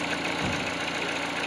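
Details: Peugeot 308, cold engine at idle, after greasing the water pump belt tensioner pulley with Litol that made a cold crackle (belt replaced at 40,000): even idle, light clean hiss, no rattle; normal cold idle.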